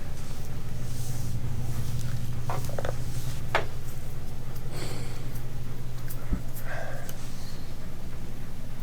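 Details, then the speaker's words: Older Miele washer after a drain repair, running a spin cycle: an even, steady low hum with no grinding or knocking; not loud, though the rear bearing isn't in super good shape and the machine is used for washing blankets. "interesting this is an older Mila and when I said it for spin it sounds great it's not loud the rear bearing isn't super good shape"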